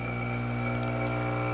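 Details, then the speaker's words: Profitec Pro 600 espresso machine pulling a shot after light pre-infusion: a steady, low, even buzzing drone with no rattles or surges. Quieter pump than the Expobar Brewtus IV; normal vibration-pump operation. "it's also quieter I'll show the difference in the pump"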